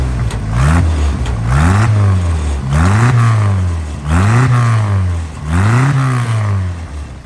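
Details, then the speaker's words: 1995 Jeep Wrangler YJ with 1993 2.5L engine, after fitting upgraded multi-hole fuel injectors; it still stumbles and sometimes stalls, and the belt squeaks when damp. Five quick throttle blips rise crisply and fall cleanly without hesitation: clean throttle response. "if you grab it the rev's really clean"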